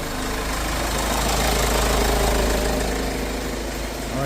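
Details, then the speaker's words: 2012 Kia Sorento diesel after repair for P0087/P1186 loss of power, with the fuel pump reaching 50 psi: steady, even, loud idle clatter with no misses or hunting. Normal diesel idle. "so I'm going to stop this I'm going to take the engine off because diesel is very loud"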